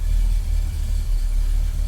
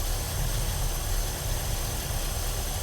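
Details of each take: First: 1965 Ford Galaxie hardtop with headers, exhaust leaks fixed and new transmission, started dead cold: deep, even V8 idle rumble with a slightly tinny header edge and no leaks, a normal header exhaust tone. A whistle from the motor persists. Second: 1965 Ford Galaxie hardtop V8 with headers and a newly installed transmission, at cold idle with no exhaust leaks: rough, lumpy idle with a thin steady high squeak or whistle; source not found.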